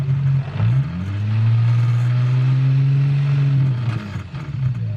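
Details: Car exhaust while revving after repairing a leak: the Y-pipe had come disconnected, with one bolt missing and the other's nut lost. Deep note rises and holds steady with no puffing or ticking; the leak-check finds none. Normal sealed exhaust.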